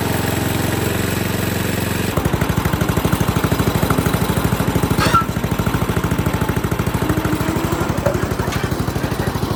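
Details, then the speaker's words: 8 hp Tecumseh engine on a pavement roller, running after its varnished original carburetor was replaced with a new aftermarket one; crisp, regular single-cylinder chugging at steady speed with no stumbling or surging; runs clean and even. "I personally am very pleased with how well that runs."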